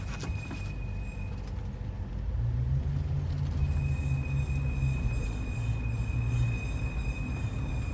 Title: Murano 05 Squeaky sound after new axle